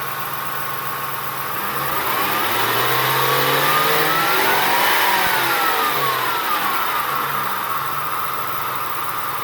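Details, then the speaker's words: 2003 Ford F-150 4.6L V8, after drive belt squeal fix, revved through 1,500–2,000 RPM where squeal used to occur: smooth rise and fall with no chirp or squeal; squeal is gone. "I do not hear any squeal whatsoever yet so uh where I was getting this squeal at was about anywhere from 1,500 to 2,000 RPM"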